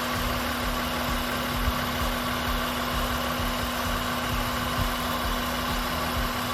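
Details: 2003 Honda Pilot with P0505 idle air control code, high/rough idle and VTM-4 light, being checked after warm-up at about 195. A steady, even idle with a faint constant fan hum and no hunting or surging.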